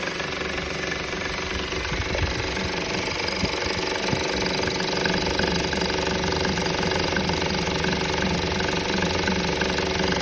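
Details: 2013 Honda Civic idling with a steady, busy engine rattle that continues after the belt and belt tensioner were replaced; source not yet identified.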